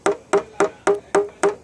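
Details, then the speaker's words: PDR tapping on the deck lid of a 2014 Subaru Crosstrek: even light hammer taps each ring hollow and drum-like over a tensioned high spot, unlike the normal sound elsewhere; the sound changes as the metal flattens. "And you can hear that kind of weird sound, as opposed to up here where it's a normal sound, but this kind of sounds like it's the backside of a metal drum."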